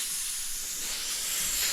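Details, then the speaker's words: Harbor Freight Titanium Plasma 65 cutter, air fitting: steady, sharp hiss of escaping compressed air with no rhythm; fitting still leaking because its threads are too short to seal. "So it's still leaking right here."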